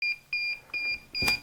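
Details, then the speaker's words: DJI Mavic Air remote controller: steady high-pitched beeps about two and a half per second, warning that the control sticks are not centered. "you know when you get that beeping the control is telling you that your sticks are not centered"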